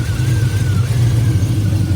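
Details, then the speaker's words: 2001 Chevrolet Silverado 5.3L V8 4WD at idle, lumpy uneven beat with loudness rising and falling; engine misfire, also charging at 16 volts even after alternator replacement, cause unknown. "01 Silverado 53 four-wheel drive it's got a misfiring [Music] issue it's misfiring you can hear"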